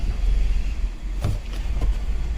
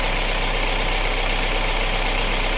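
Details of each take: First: 2019 Kia Sorento with no scan codes except MAP circuit low, runs rough, surges, stalls and exhaust stinks; adaptive reset made no change; low, uneven idle with sharp clicks from faulty MAP sensor wiring. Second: 2019 Kia Sorento petrol SUV that ran rough, surged and stalled with no codes, idling steadily and evenly with no stumble after a broken MAP sensor wire was fixed and the MAP sensor pushed in; MAP sensor also bad.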